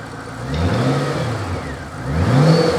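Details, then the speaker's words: Supercharged Ford GT, revved twice: clean rise with a thin whine climbing with revs. Still no engine lights and sounds good, a healthy supercharger on a smooth engine. "Sounds good. Still no lights."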